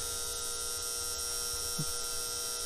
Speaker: You can hear this one buzzing. We need to get a new bulb in that, but that's just one of those,